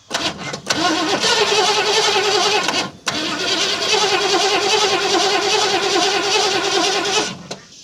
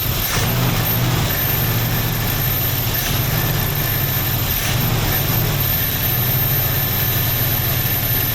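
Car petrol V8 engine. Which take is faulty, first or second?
first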